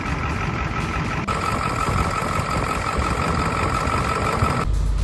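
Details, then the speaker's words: Ford F-350 ambulance, 7.3L HEUI Powerstroke diesel, sat a year with crank/no-start, new fuel filter, started after starting fluid: lumpy, uneven idle with steady whine on top, missing on several cylinders; injector driver module codes, cause not pinned down. "turn the key on wow trying to start with spitter up spitter up spitter up spitter upstairs it wouldn't go so gave her a little tickle a little tickle with the Go Juice but 7.3 what do we say is running like a 4.2 it doesn't run good"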